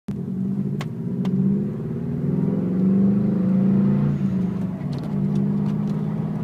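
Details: 2003 Subaru WRX engine below 3,000 rpm with clutch fully depressed: rough, gritty grinding edge over the engine hum as revs rise and fall.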